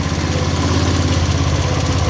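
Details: 170F single-cylinder engine after replacing crankshaft and connecting rod, fresh oil: steady, even thrum at fast idle, no heavy knock under the exhaust beat; the knock is gone. Normal running.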